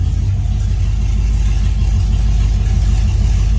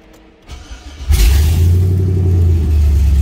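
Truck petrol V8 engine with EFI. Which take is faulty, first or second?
first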